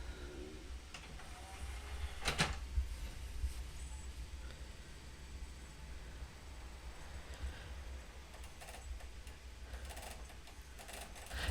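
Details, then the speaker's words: PS2 503 model (V9 or V10) with disc loaded; rough stuttering grind as the partially seized laser worm assembly drags the optical pickup sled, causing disc read errors and crashes; console still plays. "but you can hear there it's absolutely grinding away yeah there you go so it does play and it does start up"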